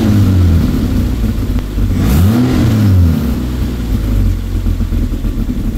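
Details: Toyota 2JZ inline-six, newly wired into a car after months of work and freshly started, recorded with multiple microphones; strong low note rising and falling with blips, loud from a short open exhaust with slight pops, running healthy.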